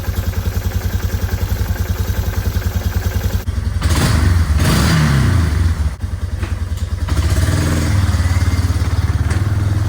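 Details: 2001 Yamaha BearTracker 250 after sitting, carburetor rebuilt and idle jet adjusted, choke on: single cylinder thumps steadily about three and a half beats a second, revs up and settles cleanly; runs fine.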